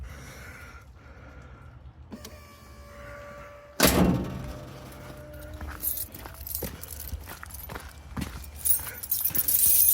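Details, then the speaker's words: 4A-FE-swapped 4WD Toyota Tercel wagon after a timing belt job, running on 3-year-old gas: a steady high whine with clunks around it; the fuel pump is unusually loud, and the engine won't shut off with the key. "That pump is a loud one."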